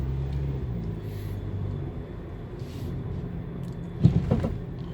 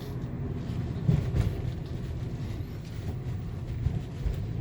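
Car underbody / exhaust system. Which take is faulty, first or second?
first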